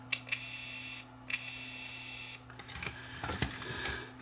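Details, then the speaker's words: GE 3-5378ABG microcassette recorder, totally dead, under repair: the tape motor whirs about a second, drops out, then returns when the leaf switch is shorted. Intermittent run; owner suspects a cracked solder connection at the switch. "yeah when the switch is closed i don't oh now i do now it's working you can hear it coming on"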